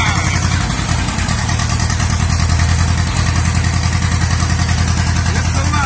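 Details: 1950s or 1960s John Deere bulldozer that sat 20+ years, just started on starter fluid: chugs along at a steady, even idle with no misses or knocks while warming up; normal running.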